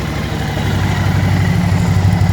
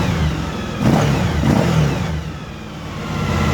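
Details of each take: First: Suzuki DL1000 V-Strom V-twin, 23,000 miles, warm: after spark plug replacement and checks for erratic warm idle, it idles steadily with a low even lope and no misses, though the customer later reported the problem returned. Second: Suzuki V-Strom DL1000 V-twin, 23,000 miles, starts and idles fine cold but idle goes erratic once warm, revs rising and sagging; fixed for a while with new spark plugs and checked throttle linkage, but the problem returned; clogged fuel filter or failing pump suspected.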